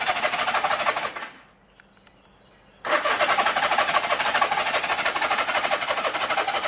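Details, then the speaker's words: 1983 Honda GL1100 Goldwing Aspencade after rebuilt carbs were reinstalled and a new starter fitted: strong steady cranking at about three pulses a second, a pause, more cranking, never catches. No spark on the left side. "So yeah, what it's doing is it just doesn't have any spark on the left side. It's fine on the right, but nothing on the left."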